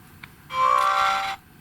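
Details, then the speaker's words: GHD Chronos S8M261 hair straightener, universal 100–240 V, at startup: a short, thin, scratchy buzz like plastic vibrating, from the on/off button resonating with the piezo buzzer mounted too close; holding the button stops it. "button that is a really funny startup noise it's almost like a sort of scratchy noise in the background"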